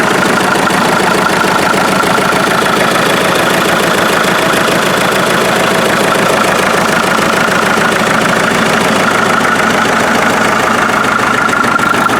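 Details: Restored 1947 Farmall MD diesel tractor running outside after its rebuild (front end, injection pump seals, new fuel filters, lines blown out, new water jacket gaskets). Steady, even clatter of about four beats a second with no misses or surges; running healthy.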